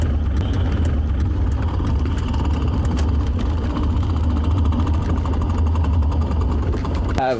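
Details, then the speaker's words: 1987 BMW E28 manual gearbox with 2–3 chipped teeth on one gear, blamed on synthetic 75W-90 gear oil, chips found on the drain plug: rapid metallic rattle and chatter over the engine hum. Gear rattle from chipped teeth. "I chipped, I think, like 2 or 3 teeth on one of the gears. It came out on the plug, and it started making some nasty noises."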